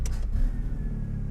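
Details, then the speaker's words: DSM 4G63-swapped AWD Mini Cooper, untuned, on a throttle stab: short rev that bogs and sags back into a low rumble; goes lean quickly, then floods rich, so acceleration enrichment probably needs increasing. "that sounds like it's it's not giving it enough because if we look over when we jab it it's going lean real real quick and then it's flooding rich"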